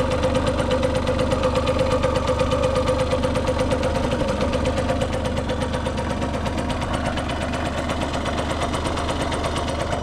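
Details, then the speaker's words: Restored Yamaha YSR50 with 198 original miles, after a cosmetic restoration, quick start-up: small two-stroke settles into a steady, crisp idle at about three beats per second, easing slightly as it warms. Healthy normal two-stroke idle. "The motor sounds like brand new."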